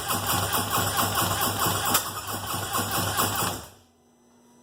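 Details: Starter churns at a steady rhythm for about three and a half seconds with no catch or firing, then stops; crank-no-start, cause still unknown.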